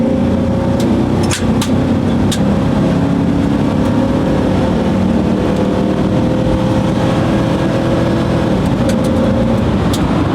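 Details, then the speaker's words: 1997 GMC Sierra 3500, after a fuel pump replacement, floored: steady full-throttle drone under road noise, shifting fine with no knocks, slips or flares. Normal acceleration. "It's shifting fine."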